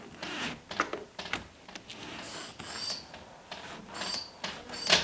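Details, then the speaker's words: Household door after fixing threshold rubbing and adjusting a hinge: short high squeaks at the end of the swing with light rubbing; suspected bottom edge rubbing or hinges. "hear that and it could be it could be the bottom Edge it's just rubbing it could be uh the hinges"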